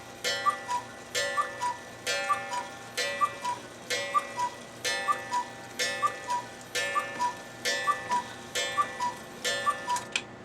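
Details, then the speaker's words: Cuckoo clock after cleaning and oiling, which had stopped after a few minutes of running: crisp tick-tock about one beat a second, steady and even in a quiet room; the movement runs properly. "and there we go we have a working cougar clock again doesn't just run for 5 minutes anymore"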